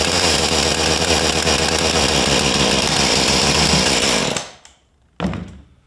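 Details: Husqvarna 435 chainsaw after the wrongly ordered ignition coil was replaced with the correct one, carburettor not yet tuned: steady high-revving two-stroke buzz holding even, then cutting off cleanly; saw now runs properly.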